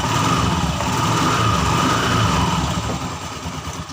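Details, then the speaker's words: Honda Scoopy FI scooter with CVT cover removed: even idle with light steady drone and no harsh rattle; rough noise largely gone, traced to a worn brass bushing in the CVT cover. "Nah, pada kondisi sudah dibuka seperti ini, kondisinya tidak mengalami bunyi yang cukup keras ya teman-teman."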